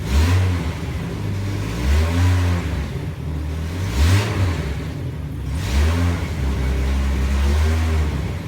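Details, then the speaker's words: 1996 Jeep Cherokee XJ 4.0L just after fitting a Rough Country throttle body spacer, no engine lights after a slightly iffy start: three or four clean blips rise smoothly and drop to an even idle, revving more freely, maybe deeper or louder; normal revving. "Seems to be handling revs a lot nicer. Sounds a little bit better. I don't know if it's deeper or louder, but sounds pretty good."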